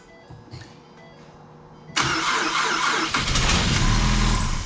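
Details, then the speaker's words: Wrecked 2016 Mustang EcoBoost parts car, started on fresh batteries with likely little oil: it cranks briefly, catches and runs steadily with no knock; not locked up and sounds good. It then probably shut off on lost oil pressure. "it's not locked up. Sounds good."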